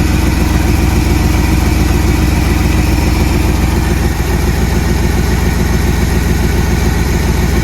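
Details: 1979 Jeep Cherokee AMC 360 V8, idling after first start in 3 years; carburetor barely working. Steady, even idle with a smooth low beat near 214 per minute, no misses, knocks or ticks; normal idle.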